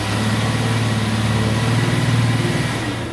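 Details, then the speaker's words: Van idling in drive with foot on brake, given light throttle during inspection: steady even exhaust note, no rattles or leak; exhaust sounds normal. "All right, So we don't have an exhaust leak. That sounds pretty good."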